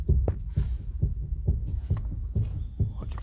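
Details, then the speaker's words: Toyota Corolla: repeated dull low thumps about twice a second from the front suspension, caused by a worn inner tie rod joint (steering rack articulation) knocking. "Então essa peça aqui esse pedaço de peça aqui que é articulação da caixa de direção tá e"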